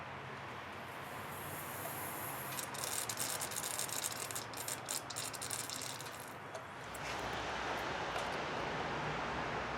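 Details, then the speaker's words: 1996 Chevrolet Lumina GM 3.1 after water pump replacement, engine running and warming up: trapped air escapes from an opened coolant bleeder screw with a sputtering, spitting hiss. "You're going to let air out once she starts getting hot. And you will hear it hissing out."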